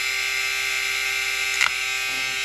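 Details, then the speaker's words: Marui Big Bear R/C monster truck motor bench-tested on a power supply before its bearings were oiled; high, steady electric whine with a thin buzzy edge, slightly rough. After oiling the bearings it sounded better. "this motor does not sound that great we'll give you an example here it's not that bad"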